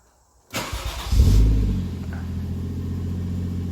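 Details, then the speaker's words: Toyota 1JZ engine after broken engine mounts and cooler piping were sorted, restarted still warm with plenty of oil. It cranks quickly, catches cleanly with a brief rev flare, then settles to a smooth, even idle with nothing heating or rubbing, a healthy warm start. "all right that sounds much better nothing's heating or robbing so we're good to go once I get into mints alright one last start and it's still warm got plenty of oil in there now"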